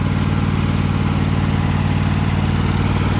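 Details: John Deere 100 Series lawn tractor small engine, warm, after valve adjustment (the valves had been tight): steady, even, low putter at idle with no stumbles; a ticking persists, so the owner says the valves are not its cause.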